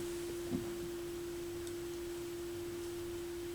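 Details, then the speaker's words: McIntosh MAC 1900 stereo receiver on initial evaluation, heard through headphones: only a constant steady low buzz on FM with no station audio; signal strength shows on AM but not FM; cause not traced. "I'm grabbing my headphones. I'm just curious to see if I get any sound out of phones. Yeah, I'm just getting the buzz on FM."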